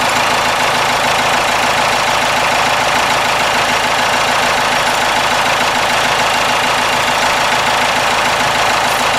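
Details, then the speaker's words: Cummins 4BT four-cylinder diesel truck idling in neutral after the idle/fuel adjustment was set to its maximum. A steady, lumpy clatter with a slight even shake and vibration, no misses or knocks: a normal diesel idle. "that sounds a little better there's a little more shakier but it sounds like a cummins yeah a little shaking here little vibrating"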